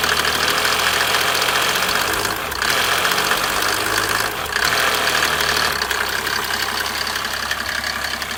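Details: Mercedes OM603 turbo diesel: sharp rattly knock over the diesel clatter at idle that follows the revs up; engine knock of unclear origin.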